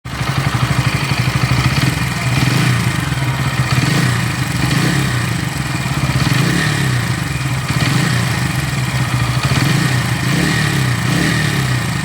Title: Pulsar N160 engine sound problem in brand new bike